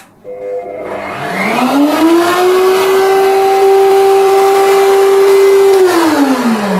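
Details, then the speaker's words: Motor reading about 900 watts with the soft-start module, which ramps power up from 200 W. The whine climbs gently over about two seconds to a steady pitch, then falls as it spins down. The start is smooth and the MCB doesn't trip. "Dia ini mulai dari 200 watt guys. Jadi pintar juga alat ini ya. 200 naik. Makanya bunyinya juga jadi halus."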